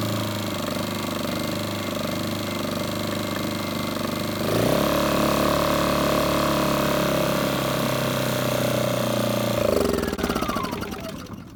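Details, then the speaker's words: Used generator bought unseen as a non-runner, carburetor cleaned, air cleaner off: it catches after about five seconds, holds a steady, even drone with no misfires, smokes a bit, then winds down. "but it runs it smokes a bit but I knew that"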